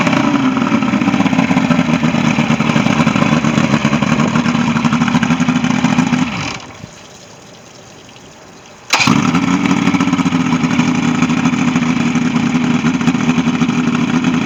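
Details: Ebbtide boat engine, final running test after a no-start, 6/6/23: steady, even drone with no misses or knocks, cut briefly midway, then the same smooth run resumes; healthy running.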